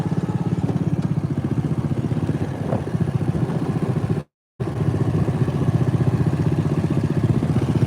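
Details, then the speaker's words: Riding mower twin at steady revs: uneven, lumpy pulsing beat, sounding like running on one cylinder, maybe two; not smelling rich; suspected dropped coil or bent pushrod, possibly from over-revving; cause unconfirmed. "but he smell he sounds like he's on one cylinder again a little bit. Uh, he's maybe on two now, but yeah, he might have locked a coil out of that thing."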